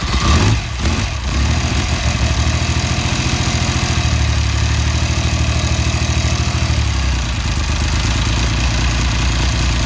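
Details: BSA Rocket Three A75V triple started after top-end service, strobe timing check on right-hand cylinder: even, throbbing idle with steady beat, brief blip near start, no ticks or knocks; running healthy.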